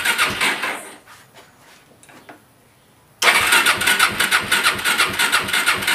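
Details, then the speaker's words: Suzuki LT-R 450 quad with charged battery, in neutral, fuel switched from reserve to primary: quick even cranking strokes about three a second with compression but it never catches; intermittent spark from a faulty CDI. "oh so that's kind of good news you could tell there's a compression"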